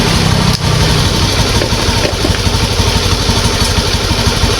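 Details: Honda Beat ESP fuel-injected scooter after repair of stuttering, no throttle response and sudden stalling: damaged fuel pump rotor replaced and pump filter addressed. Steady single-cylinder putter about three beats a second, no stumbles or misses; normal idle.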